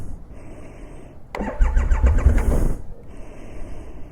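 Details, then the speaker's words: 2020 Triumph Rocket 3 GT at 14,266 miles, December, before the rear master brake cylinder recall repair, and it wouldn't start earlier: a short burst of cranking that catches and settles to a low idle; hard starting. "The rear master brake cylinder is shot. Now the bike won't even start. Okay, here we go."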